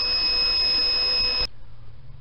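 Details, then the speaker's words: Van inverter on a Harbor Freight battery box (rated 420 Wh) with 100 W solar, running about 160 W of loads. It gave up roughly 1.5 hours short of the expected runtime. Shrill, steady beep for about 1.5 seconds: low-battery warning. The battery read 11.9 V after unloading. "And you could hear the inverter telling me to turn this off."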